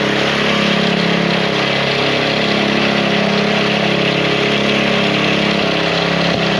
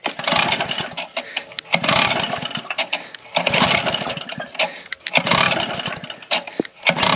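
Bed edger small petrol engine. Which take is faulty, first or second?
second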